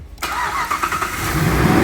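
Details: 2009 Jeep Grand Cherokee with a no-crank, no-start fault, tested with the starter relay circuit activated; the fault was traced to inside the fuse box. After a brief quiet moment the engine catches immediately and settles into an even, steady run; a clean, normal start.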